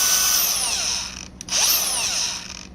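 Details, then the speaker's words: Brand-new Milwaukee M18 CAG125 125mm angle grinder, out of the box, free running: high whine spins up then stops unusually fast; sounds tight, smells slightly electrical. Cause unconfirmed; owner suspects tight new motor. "Doesn't sound right. Doesn't sound very good. Like it was tight in there. Smells a little bit electrical."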